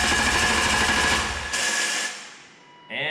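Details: 1997 BMW M3 with EWS bypassed, after crank position sensor replacement: brief fast starter churn under two seconds with no firing, engine cranks but doesn't catch; owner suspects something else in the EWS still needs bypassing.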